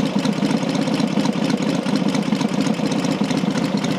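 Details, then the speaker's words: Rebuilt Matchless G12 twin (new crankshaft, conrod, main bearing), getting warmer, manual advance lever brought back to slow tick-over; steady low thump about four beats a second, smooth, no knocks. Normal idle. "now it's getting a bit warmer i can this back [Music] and it slows the tick over down"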